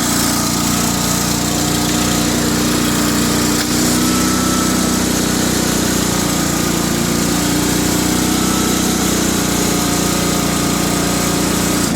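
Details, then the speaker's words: Cub Cadet 2130 garden tractor, revived after a fuel pump and pump arm replacement, carburetor rebuild, choke linkage and brake-switch wiring fixes; a little cold at about 35°F, in neutral; even single-cylinder drone, transmission whine, no oil burning; normal running. "doesn't burn any oil sounds great got in neutral right now so forward pedal is completely engaged what you're hearing that wine is the gear system or the clutch system on the transmission she's good to go"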